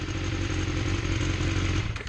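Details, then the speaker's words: 2012 BMW S1000RR sport bike, bought used at about 12,000 miles, idling; fast loose metallic rattle over the engine pulse from the exhaust, a notorious rattle that doesn't affect performance. "They have this exhaust that gets a rattle in it that's notorious. So you hear that rattle?"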